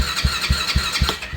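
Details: Kayo Predator 125 with GY6 engine: steady starter cranking with even compression pulses about four a second, never fires; no spark, pickup coil output reads low and pickup coil is suspected bad.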